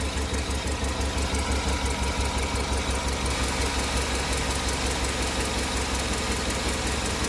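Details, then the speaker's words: Cammed Tahoe with DOD delete, tuned, at idle after new plugs, wires and exhaust manifold gasket: light steady tick about three per second persists. Owner still suspects an exhaust leak, not metallic or rod knock; cause unconfirmed. "I'm still certain it's an exhaust leak I don't want to say it sounds like metal like a rod knock or anything like that this is not it sounds like just a leak of air"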